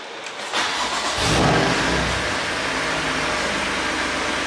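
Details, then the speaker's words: Crash-damaged BMW M2 during rebuild, first start after oil cooler and lines fitted: starter catches quickly, revs flare once, then settles into a steady, even, quiet idle with no knocks or rattles; healthy start. "really quiet you wouldn't know it that's for sure"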